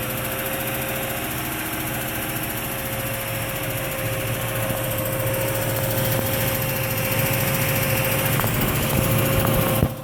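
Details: 2003 Range Rover HSE, 4.4L BMW M62TUB44 V8, steady idle with a faint, fairly even light tick over the hum; oil possibly slightly low; tick later went away on its own.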